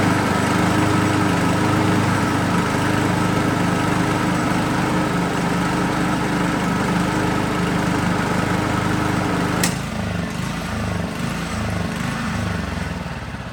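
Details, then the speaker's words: Honda HR215 lawnmower after first carburetor teardown and clean: steady buzz then slow rising and falling hunting with blade disengaged, smooth once blade engaged; behaved so since bought a year ago, owners unsure if normal. Idle surging without load. "However, not sure if it's normal for this, but when the blade is not engaged, it kind of like surges."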